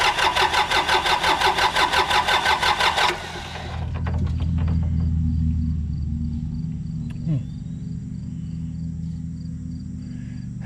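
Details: Yanmar 3200EX tractor that would not start: quick, even cranking about three turns a second for three seconds, then stops; starter turns it only when bypassed, so the neutral safety switch circuit is suspected.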